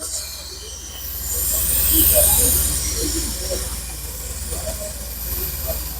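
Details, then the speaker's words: BMW X5 air suspension replacement, air line cracked open on the good airbag: steady high hiss of escaping air showing that bag holds pressure, unlike the leaking one that had hardly any air. "I'm going to leave it like that until most of the airs come out, because that's the good airbag, because it's holding the air in."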